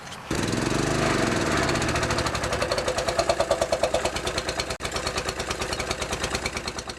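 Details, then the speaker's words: Older Honda EG4000 generator (G400 engine) after carburetor cleaning and opening the adjusting screw slightly: engine pops and stumbles unevenly with no steady idle, still won't run properly; runs poorly after carburetor cleaning. "I've just cleaned the carb on the generator and it still doesn't run, so I'm going to have to rip it up again."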